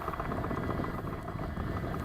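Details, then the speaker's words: Electric motor on an RC plane before flight runs with a rough, fluttering buzz instead of a clean hum; it didn't do this on the bench. The owner suspects a shot bearing or something caught inside, not confirmed. "check out the noise listen to this it didn't do that on the bench but it's doing it now getting something in there all right i may have a shot bearing we'll see"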